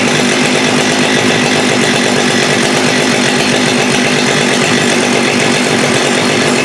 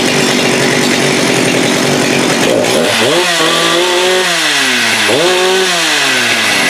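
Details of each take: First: Modified Husqvarna 394 saw converted to 395 with HyWay 58mm pop-up big bore cylinder, OEM carb: no-load revs stall around 10,500–10,900 rpm, high-speed screw unresponsive; suspected rev-limiting device dumps fuel, too rich on top, won't rev out. Cold weather. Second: Husqvarna 394 chainsaw rebuilt as 395 project with HyWay Titanikel 58mm big bore pop-up cylinder, cold wet day; after swapping the OEM carb for an aftermarket carb, no-load revs snap up cleanly to about 12,100 rpm (was 10,500-10,900), repeated blips rising and falling evenly without bogging or stumble: normal.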